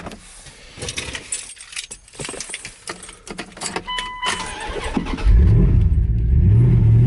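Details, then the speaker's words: Truck (owner also lists a Toyota pickup clutch part) starting after battery reconditioning, battery around 11.9 V after a week off the charger: keys rattle, starter cranks briefly, engine catches cleanly and settles into a steady, even idle. "Oh, it's alive. Okay guys, well, it's starting. That's great."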